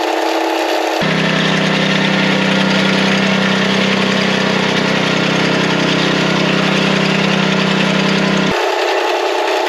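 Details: Small bed edger engine, with blade lowered to depth and biting into soil: steady, even tone, no bogging or surging; healthy under load.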